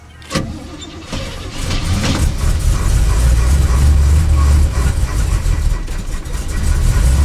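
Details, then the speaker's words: Vehicle on a sub-zero cold start with pedal pumping, snow on it: fires after a short crank, then runs lumpy and laboured with an uneven low beat before slowly steadying; rough cold start. "Boy, he don't like the cold weather. Especially since I Mazda-sized him. A little quieter, don't you think?"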